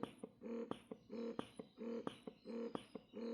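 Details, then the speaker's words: Momcozy M6 Mobile Style wearable breast pump in stimulation mode: short sharp suction pulses repeating evenly about one and a half per second with a clean motor hum; normal stimulation mode cycling. "can hear they are quite short, sharp suctions."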